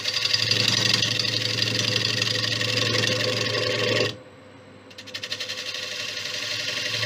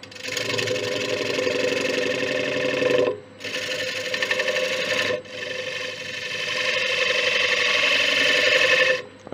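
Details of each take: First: Large warped ash bowl on the lathe at 700 rpm, gouge straightening the warp: a steady cutting hiss drops away, then returns choppy and pulsing as the gouge bridges air gaps. Interrupted cut on an out-of-round bowl. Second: Large ash bowl on the lathe at 700 rpm, taking tiny wisps: smooth, even rasping during each pass with short pauses and no thumping. A clean, continuous cut on a round bowl.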